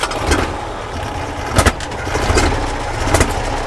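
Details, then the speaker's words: Carburettor spitting back on a 1968 Morris ambulance at idle: rough, uneven running with sharp pops about every second coughing back through the carb. Next step is taking off the oil-bath air filter to check. "well it runs of a fashion yeah I'm not that Keen on that what's that what's that uh that's kind of spitting back through the carb"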